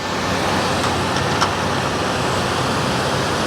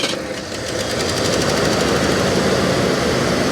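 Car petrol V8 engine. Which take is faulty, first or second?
second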